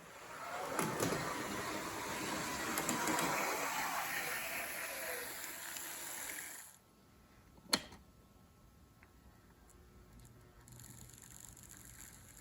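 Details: O scale NWSL Stanton drive (can motor, worm gears to axle gears), after mechanical tuning, analog run at higher voltage, up to 9 volts: even light whir with no catches or rough spots. Smooth running.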